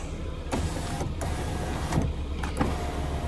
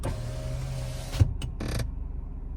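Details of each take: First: Passenger power window on a Lada Vesta SW Cross after removing the door card and lubricating the window regulator slides: smooth up and down with steady motor hum, squeak at full closing gone, though something still rattles over bumps. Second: Lada Vesta SW Cross passenger power window: motor hums about a second, then the glass seats with a thump and squeaks when closing fully; forums suggest disassembling and greasing the guide rails.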